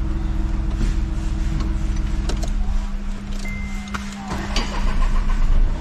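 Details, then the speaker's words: Volkswagen Polo with a long crank before starting, hard starting in the morning and heavy knocking; engine runs unevenly with a lumpy, shaking beat and a steady low drone, rough running, cause not confirmed. "देखो जो भी आप गड्डी start करते हैं गड्डी round बहुत लंबा लेंदी है। गड्डी कंब भी रही है, गड्डी देखो सारी कंब रही"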